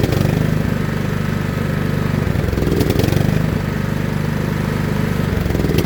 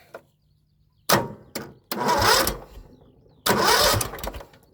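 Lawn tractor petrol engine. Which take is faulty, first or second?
second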